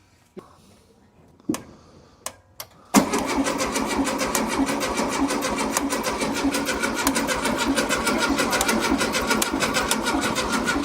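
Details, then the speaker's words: 1972 VW Beetle, sat wet for over 3 months, battery charged about 3 hours, first start attempt, no spark suspected: starter cranks steadily about 1.5 beats a second, never catches; crank no start, owner suspects wetness preventing ignition. "Is it rusted shut? Well, it's really wet. I'll bet it's so wet that it just can't ignite, Yeah. right?"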